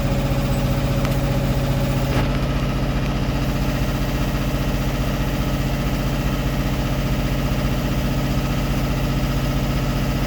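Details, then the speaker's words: Westerbeke W13 4.4 kW two-cylinder diesel generator after glow plug solenoid replacement, running a few minutes under load: steady even drone, regular low thrum, no hunting or misses; about 121 V, frequency steady within 0.2–0.3 Hz. "Old school Westerbeke 2-cylinder. Not the smoothest generator, but it does work."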